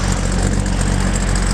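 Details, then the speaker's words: 1978 Chevy K5 Blazer, restored, 350 crate V8 with Holley Sniper fuel injection, small cam, TH350, 12-bolt rear with 3.08 gears: deep, steady, mellow rumble with an even beat and no ticks or knocks; healthy smooth idle. "deep mellow tone with a small camp 270 common it has a factory 12-volt rear end in it 308"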